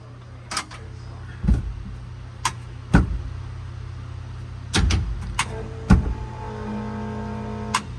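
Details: 1989 IMSA GTO Corvette, first start after 3 years, rear raised, ignition on before cranking: steady low hum with a thin whine building after six seconds amid clunks; transmission oil pump whine, cause unclear.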